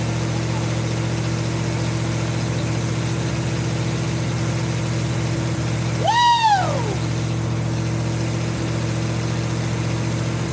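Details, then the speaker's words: 1952 Ford F-1 first start in 28 years, after an oil change, carb rebuild and new PerTronix ignition, plugs, wires, cap and rotor; it now runs at an even, steady low idle with a smooth hum after the choke was reduced, engine running cleanly. "What I needed was more air, less choke. I got it running! Woo!"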